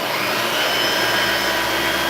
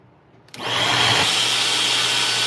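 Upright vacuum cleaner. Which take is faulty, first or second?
second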